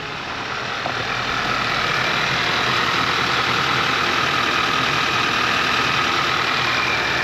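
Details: Audi A4 Avant start-up after replacing a blown fuse, the fuel pump control module and a brand-new turbo, with coolant topped up: steady, even idle with a faint whistle, no knocks or misses; new turbo may smoke briefly.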